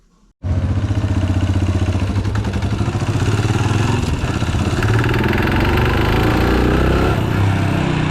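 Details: Yamaha motorcycle about one km after filling at a suspect fuel station: revving with busy, uneven metallic clatter over the exhaust beat; owner blames bad low-octane fuel; engine knock.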